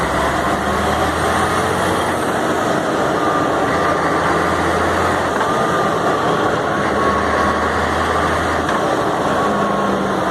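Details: Mercedes-Benz MB 1634 diesel truck road test after differential reassembly: steady drive noise at constant speed, no whine or clunk; the ugly off-throttle roar is gone, problem solved, differential normal.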